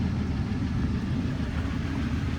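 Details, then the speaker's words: Dodge 1500 diesel pickup at auction, listed mechanical damage, idling on a 97° day; steady low, even diesel rumble, no knocking or misses; thought it sounded a little light for a diesel but no check engine lights; normal idle. "and I'm not going to lie I was going to say it sounds a little l for diesel but guess not I mean got no check engine lights on"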